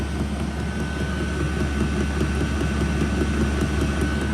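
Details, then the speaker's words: Chinese 5 kW all-aluminum diesel heater at full burn, outlet around 140 degrees: steady furnace-like fan roar with fuel pump ticks so fast they blend into a solid sound, drowned by the fan; normal running. "Yes, at full burn, it's almost, I mean, I can hear it tick. I don't know if the video can catch it, but it is ticking, but the intervals between ticks is so fast, it almost sounds like just a solid sound, and because the fan's going, it drowns that out."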